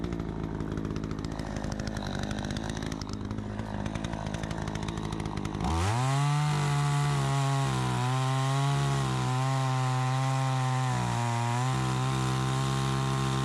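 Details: Troy-Bilt 20-inch chainsaw, bought new, started on choke after carburetor adjustment: fires and settles into a strong steady high-revving note holding speed while cutting, crisp response; owner thinks a bit more RPM possible; normal under cutting load.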